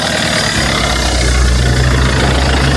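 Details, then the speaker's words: 2.1L diesel Mercedes-Benz Sprinter, first start after turbocharger replacement with turbo pre-primed with oil: catches straight away and settles into a steady, even low rumble with no knocks or misses; smoke now exits the exhaust, not the top. "and you know what's good about that yeah the smoke actually came out of the exhaust instead of it coming out from the top"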